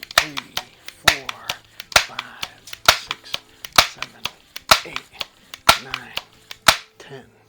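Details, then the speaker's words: Old Crosman 760 air gun being repaired; sharp clicks with a short squeak on each pump stroke at about one per second, showing the pump cup is sealing and building more pressure. "definitely feels like it's pumping up destroy making that squeaking noise but"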